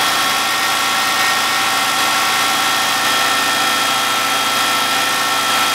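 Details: 2003 Subaru Forester, naturally aspirated, manual, 140,000 on the clock, cold start with garage at -10 °C: fast, light, even tapping over the cold idle; suspected piston slap.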